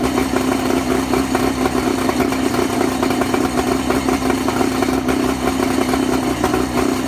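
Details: Johnson 50/35 outboard at low idle: rough, uneven running with irregular stumbles and skipped beats in the firing rhythm. Low idle misfire.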